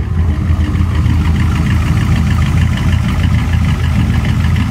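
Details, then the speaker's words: V8 with Holley Dominator EFI, earlier misfiring on cylinders 1 to 4 from no injector pulse; after cycling ignition key power to the ECU it runs normally, a loud, deep, even lope with no missing beats. "let ignition cycle key on now it sounds like it's running normal"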